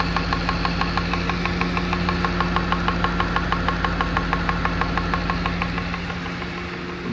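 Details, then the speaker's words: Car at 243 mileage with a lean-mixture-on-LPG fault: injectors tick loudly, about three times a second, at idle. One injector is wedged tightly between the engine and the air filter base, drumming with resonance; the car is then switched to gas. "tutaj to są one specyficznie głośno cykają i ten tutaj który jest ściśnięty w tym miejscu opiera się tak ciasno między silnikiem a tą podstawą filtra powietrza powodując takich jak i rezonans pracują jak bęben"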